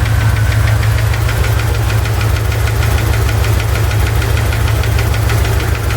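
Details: Chevy ZZ4 350 V8 idling with a steady rapid knock or tick about three a second, seemingly from the driver's side, persisting after valve lash adjustment; owner suspects piston slap or a spun bearing, unconfirmed.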